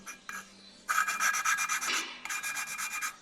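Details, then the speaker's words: Lapping a valve on a Golf V R32 cylinder head with coarse paste: gritty, scratchy rasping in short bursts as the valve is twisted back and forth; the paste is still cutting the seat, and the sound should change once the valve is lapped in. "Et en fait, quand ce sera rodé, ça va avoir un autre son."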